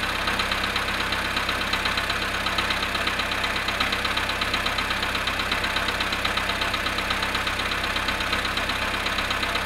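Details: Volkswagen Polo sedan at -1°C cold start after standing 19 hours: steady idle with a fast, light, slightly uneven knocking tap; cold-start engine knock, cause not pinned down.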